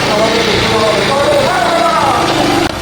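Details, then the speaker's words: Restored old Honda Super Cup 50 single-cylinder idling smooth and even with no misses or knocks and no smoke from the silencer after a complete A-to-Z rebuild; healthy idle. "এই যে দেখুন, বাইকটা কিন্তু স্টার্টে আছে, এখন সাউন্ডটা আপনারা শুনতেই পাচ্ছেন। হ্যাঁ, সাইলেন্সারে কিন্তু কোনো রকম ধোয়া বের হচ্ছে না, একদম কমপ্লিট করা হয়েছে এ টু জেড। সাউন্ডটা একদম স্মুথ।"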